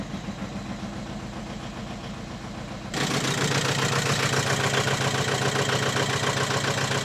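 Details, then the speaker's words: Audi A4 2.0 TDI diesel after a turbo replacement, started with the rocker cover sitting loose and oil spilling. It catches after about three seconds, then idles lumpy and uneven. It still runs rough, and a compression test is planned next. "Yep, still runs like shit."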